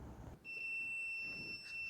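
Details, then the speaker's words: Multimeter in continuity mode across opposite-end terminals of a seat switch like the John Deere LA145's: steady high-pitched continuous beep holds, showing continuity. Continuity beep, switch good. "continuity, hear it beeping. Now let's mash the button and see what happens."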